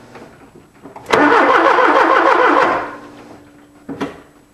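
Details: 1979 Porsche 924 cranking: the starter spins the engine about 1.5 seconds with even compression beats, but it never catches. Crank, no start; weak spark or low power suspected, not confirmed.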